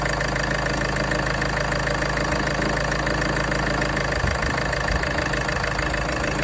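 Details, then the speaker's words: Land Rover Freelander 2 at idle, recorded near the right-hand side of the engine: a light, fairly even plastic tapping about three times per second over the engine hum. The cause was a seized alternator freewheel pulley. "So, this time I've got a a new noise around here somewhere. It's like a plastic um tapping noise. I believe it might be the alternator pulley. Might be on its way out."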